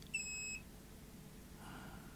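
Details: Multimeter continuity check for a short or solder bridge on a circuit board in a JVC BR-HD50 deck under repair. A single steady high-pitched beep of about half a second; the meter flags continuity, though the connection may not be real.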